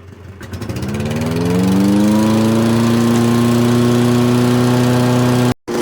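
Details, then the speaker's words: Toro 22-inch Recycler model 20377 self-propelled mower, Kohler engine, after drive belt replacement, fresh oil, plug and air filter: catches and holds a steady governed hum without hunting or knocking. Normal running. "i'm gonna fire it up i think they're filming a new texas chainsaw massacre movie on our block if i had to guess"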